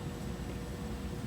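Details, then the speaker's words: New Trane 100,000 BTU 4-ton variable natural gas furnace, installed to replace an oil-backup heat pump system, running with a soft, even airy rush and low hum. The condensate P-trap seems to be popping as it fills; it runs normally and puts out good heat. "we should be in pretty good shape here shortly. It's running and putting out good heat. And they are happy."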